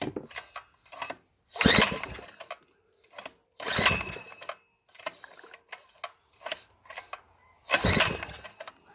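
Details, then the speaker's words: Small two-inch petrol water pump engine, sold as non-running, after ignition repair; fuel poured into carburetor, throttle wide open; irregular bursts of firing with gaps as it catches; ignition now working and engine will run. "nice she's going to be a runner beautiful"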